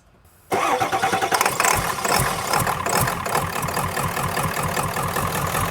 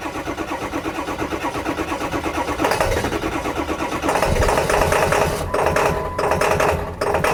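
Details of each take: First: Ford F350 diesel with a crank-no-start fault, restarted after the fuel tank was cleaned: a short crank, then it catches right away and settles into an even, steady diesel clatter at idle. It starts and runs normally. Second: Ford F350 diesel with a crank-no-start fault, running after the fuel tank was cleaned, on little fuel in the tank. The clatter surges and sags under revving with dips, as if starving for fuel. Runs rough; cause not confirmed.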